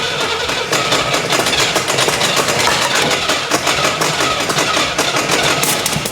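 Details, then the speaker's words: 1980/81 Camaro Z/28 4-speed V8 after the distributor was retarded further: rough, spitting run with crackling pops and possible fireballs through a giant exhaust leak, and lazy response; the ignition timing is retarded too far. "Yeah, I went too far. Let me back it off a good bit."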